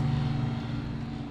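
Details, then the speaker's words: Sub-Zero refrigerator after condenser fan motor replacement: low steady compressor hum with an even fan drone and good airflow, no rattles or clicks; inside temperature falling from almost 80 degrees; normal refrigerator running. "all right this one's running he's working too"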